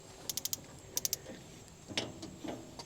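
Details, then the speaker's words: Second-hand Weber Spirit E-310 gas grill after a new igniter and burners: sharp igniter ticks in two short bursts, gas smelled but no burner whoosh; a probe likely bent by accident kept it from lighting, and lit after adjustment. "all right I smell gas I hear the clicking but it's not working"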